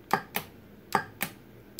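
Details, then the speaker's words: EVAP vent valve solenoid bench-tested with a power probe while diagnosing a P0455 large EVAP leak: five sharp single clicks in under two seconds as power is applied. It actuates normally. "so what I'm gonna do here is just supply power to it and if you listen you'll hear a click you"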